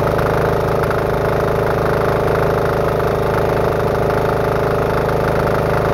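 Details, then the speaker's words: Diesel-engine-powered cordless air compressor, finished after six months of building with check valve setup optimized for the pressure unloader and tank leak fixed: steady, even diesel chug with compressor working underneath, no knocks or misses; normal running. "The nice thing about this is it's truly cordless. You can literally go anywhere and this will run for hours, or as long as you need it to run and supply air."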